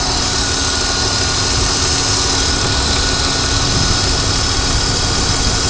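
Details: BMW 323Ci, 22X,XXX+ miles, steady high-pitched constant whine over idle; whine also when revving and driving, stops at idle when clutch pushed in; transmission clanks when changing gear and tapping throttle; performance unaffected; cause unclear.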